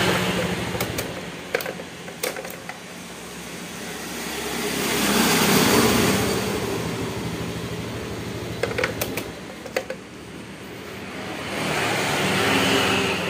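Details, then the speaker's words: Honda Scoopy ESP fuel-injected scooter with hard starting, sputtering and weak pull, running on a borrowed battery: idle swells and sags roughly every six seconds, never settling; idle surging from low fuel pressure. "lah ini ya stasionernya naik turun mesinnya ya di sini untuk tekanannya lemah"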